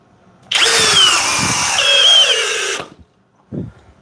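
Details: Flex cordless drill in speed two, drill mode, with a standard 5 Ah battery, driving a 3/8 x 8 in lag screw. High whine under heavy load, then sudden cutout with the trigger held, yet it drove the screw fully down.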